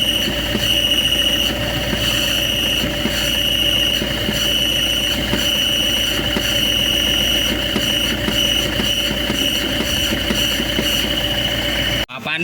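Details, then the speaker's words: Car at idle: harsh, steady high-pitched metallic squeal with rough grinding that changes with the clutch pedal; release bearing failed, likely from worn or overheated standpad, seized and fused to the clutch plate; the part it gouged needs machining. "Problem kali ini yaitu kendaraan HS bunyi kasar di area mesin. Kita menduga bunyi kasarnya dari oneway alternator. Tetapi ternyata ketika pedal kopling dimainkan, kontinuitas apapupun ee dari suaranya itu berubah-ubah ya."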